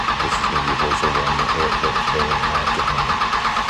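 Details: First start-up attempt after a second-gen Cummins diesel engine swap: oil filled, fuel filter pre-filled and primer button pumped. The starter spins the engine steadily at about three compression pulses a second with no firing; it cranks but won't start.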